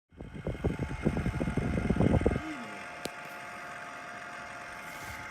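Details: Package air conditioner that has made abnormal noise for a long time: rough, uneven rattling bursts about four per second, then a steady hum; the failing fan motor was replaced during cleaning.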